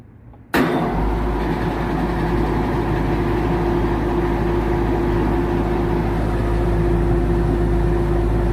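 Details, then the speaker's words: Condenser fan motor on a fairly new AC unit run alone by pushing in its contactor: snaps on, then a steady mid-tone hum with slight roughness; drawing 3.18 amps against 2.8 FLA, so the condenser fan motor is failing. "Yeah. So, this is pulling 3.18 amps. FLA is 2.8. We got a bad motor, y'all. We got a bad motor."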